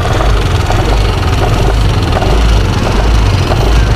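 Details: Yamaha NMAX at idle gives a loud, coarse, uneven rumble; the noise is possibly from the CVT area, and the cause is not pinned down.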